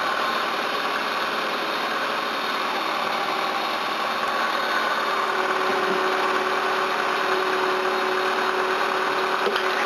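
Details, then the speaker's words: Camry or Hyundai engine after reassembly, coil clean and coolant topped up, warmed and settling; even idle with soft steady hum, no ticking or misfire, running well with no sign of head damage. "now settle down oh it's good it's running well and doesn't show any signs of head trauma"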